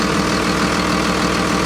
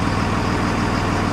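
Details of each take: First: Ex-FedEx Freightliner MT45 step van with a 24v Cummins and Allison, bought listed as non-running, engine cover off: dense, even diesel idle with the turbo audible and no misses or knocks. It sounds healthy, and no leaks were found. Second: 2001 Freightliner MT45 ex-FedEx step van, 24-valve Cummins turbo diesel with Allison, listed non-running, now running with good oil pressure: deep, steady but very loud clattery idle; it stalls when put in gear, reason unknown.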